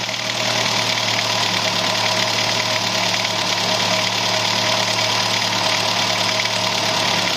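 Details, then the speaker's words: Idling petrol engine with a light, fairly quick clicking running through its steady hum; the owner suspects the water pump bearing, valve lifters or timing chain; the cause is unconfirmed. "hey Gearheads I'm chasing down a mystery noise in my engine and I need your opinion do you think it's the water pump bearing the lifters or maybe the timing chain drop your guesses in the comments below let's solve this together"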